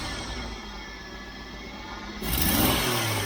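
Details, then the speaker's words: Jeep CJ-7, regular vacuum advance just reconnected, no vacuum at idle: quick blip rises with a brief hesitation, the stumble remains; owner suspects insufficient vacuum advance when goosing it is part of the problem. "still that little stumble I'm just curious what kind of vacuum I have at these lines here and if that's not getting enough Advance when you Goose it is part of my problem"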